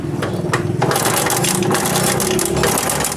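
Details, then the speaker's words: Honda CD70 single-cylinder engine: rapid loose metallic clatter over the running note, steady with engine speed, from a very slack timing chain; bike had stalled while riding and timing has slipped out; chain replacement planned. "अब इसमें शोर आने की वजह है इसकी timing change जो है वो बहुत ज्यादा लूज हो गई है बहुत ज्यादा लूज चल रही है जिसकी वजह से टाइमिंग चैन इसकी आवाज कर रही है"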